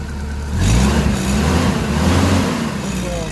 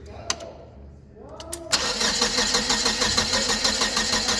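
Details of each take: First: Hyster S70FT forklift with GM Vortec 2.4 engine, previously not starting and misfiring/backfiring, after replacing coil cables: catches right away and revs steadily and cleanly with no popping or backfire; normal start and run. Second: GM Vortec 2.4 engine in a Hyster S70FT forklift, complaint of not starting and misfiring: steady starter crank about three strokes a second never fires; no spark on the number one and four coil, likely failed coil.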